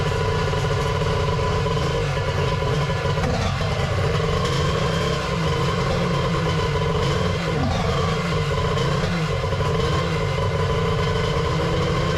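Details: 1100 triple X2 two-stroke on first fire-up after a brief start check: loud, raspy running with small rev swells and even firing, no misses or knocks; engine sounds healthy.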